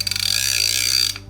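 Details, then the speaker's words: Tibor Gulfstream fly reel after switching retrieve from right to left hand by reversing the clutch dogs: fine rapid clicking as line is wound in, stopping when cranking stops; the clicker works normally, with the drag engaging when line goes out. "That's a sign of us retrieving line, but listen to the drag. So that's when we retrieve line, and this would be when the fish is pulling line out."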